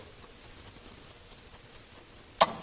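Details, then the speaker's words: 1969 Mustang Mach 1 dash clock on the bench. Soft ticking at four or five a second, then one sharp snap as the points make contact and the solenoid rewinds the spring. Normal operation. "in a few seconds you'll hear this clicking sound, and that's when the points make contact. The solenoid kicks in and rewinds the spring."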